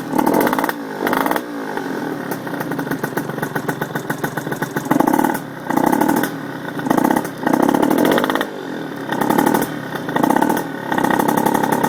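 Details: RS 80cc small single ticking over with a sharp, rapid puffing chatter on each pulse, near the port; exhaust leak.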